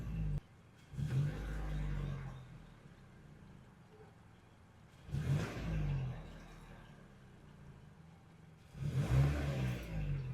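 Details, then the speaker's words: 2013 or 2014 Mazda CX-5 after replacement with an OEM Mazda MAF sensor: three clean throttle blips, each falling back to a steady idle of about 660 rpm in park (650 desired); no codes, normal revving. "yeah everything's feels fine no issues in park the desired RPM value is 650 and right now we are doing like 660"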